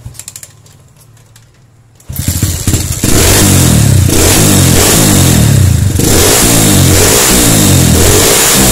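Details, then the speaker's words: Honda CB/GL Max/Neotech motorcycle, ignition rewired from stator to CDI and coil: silent, then the engine fires and settles into a steady even beat with light revving, running cleanly. "Oke, kita akan coba hidupkan motornya ya para brother semua. Maka motor ini bisa hidup."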